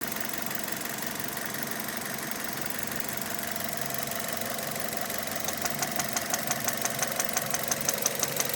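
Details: 2006 Mazda 6 GG 2.0 at idle: regular knock about three per second growing sharper; cylinder 1 rod bearings spun and crumbled from oil starvation (stuck oil rings, 300-500 g oil/day); fix is replacing rod bearings.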